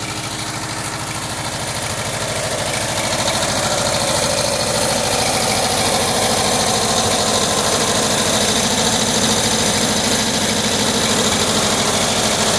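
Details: 1979 Volkswagen Type 2 with 2-liter fuel-injected flat-four engine at idle: sharp glassy clink about three times a second, like bottles banging together; owner suspects the fan, refitted unmarked after cleaning and painting; cause unconfirmed.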